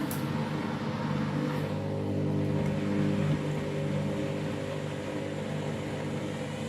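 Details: Washing machine on its very sudsy final rinse and spin after load sensing: loud, steady multi-tone hum at constant pitch with a rough edge through the fast spin; noisy, cause unclear.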